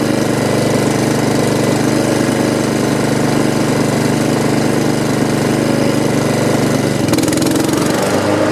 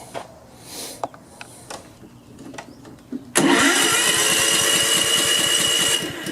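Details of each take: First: Honda HRX217 mower after repairing oil leak under engine, started for stress test: steady even small-engine run, constant pitch, no misses or knocks; running normally. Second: Honda HRX217 lawn mower being checked for an oil leak under the engine: steady cranking pulses, two to three a second, for several seconds without firing because the fuel valve was shut off; float bowl needs to fill.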